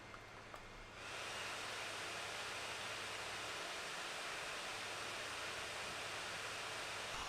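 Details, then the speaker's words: MSI GL63 8RD laptop (i7-8750H, GTX 1050 Ti) with Cooler Boost engaged after heavy gaming: fan jumps to a loud, steady airy rush of about 55 dB with no rattle or grind; fan at full speed, normal. "So you can hear that, yes, it is loud, and it does get up to the 55 decibels, but you don't actually really need to use it."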